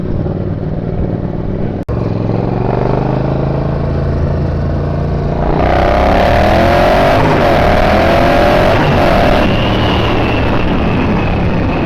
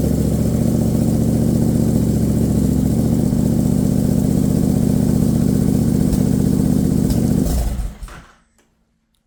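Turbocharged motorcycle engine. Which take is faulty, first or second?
first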